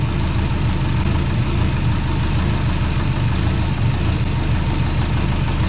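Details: Twin turbo compound-turbo Subaru Forester, just started after refitting the compound system; steady even low idle rumble, no puffing or ticking, a little smoke; wastegate later tightened and exhaust joint leaks fixed.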